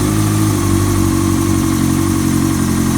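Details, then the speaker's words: Honda CBR600 F4i (2000), rebuilt after connecting rods knocked: new fabricated rod and main bearings, 11.9:1 compression, still in break-in, air filter not yet fitted. Started easily; smooth, even idle with steady low drone, no knocks or ticks; rebuilt engine sounds healthy. "Y ahí está la moto en marcha. Prácticamente no tuvimos que hacer mucho. Arrancó sola, prácticamente arrancó solo."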